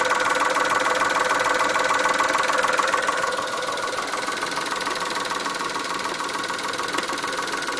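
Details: Chrysler Stratus/Cirrus after timing belt change, warm engine on full E85 in cold weather with cold coolant just added: steady light ticking about 200 a minute over idle hum; cause unknown.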